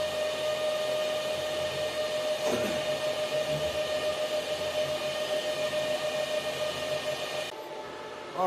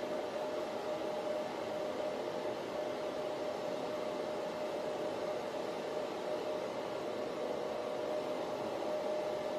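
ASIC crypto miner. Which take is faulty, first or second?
first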